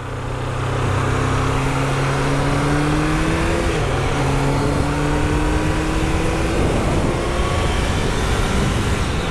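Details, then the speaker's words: Triumph Daytona T300 motorcycle with intermittent engine failure: rough, uneven note like a single cylinder, not firing well; misfire, owner suspects refurbished fuel tap, possibly crankshaft position sensor. "it's not firing very well jesus it sounds like a single cylinder"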